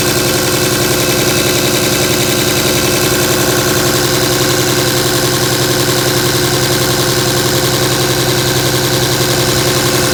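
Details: 2007 Dodge Ram 5.9 Cummins diesel, loud continuous idle with uneven, lumpy exhaust beat; began a month ago, intermittent fuel rail pressure, MAP sensor and overboost codes; owner asks about excessive blow-by; rough idle, cause unclear.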